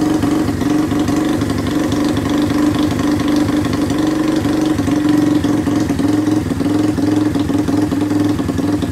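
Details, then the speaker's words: 1981 Kawasaki Binter Mercy 200cc rare motorcycle just revived (two-stroke plug fitted, good compression, carb cleaned): even, steady idle with firm mid-pitched exhaust beat and light rattle, holding without throttle. Normal idle. "guys jadi UN motor ini udah berhasil hiup jadi seperti inilah suaranya dia"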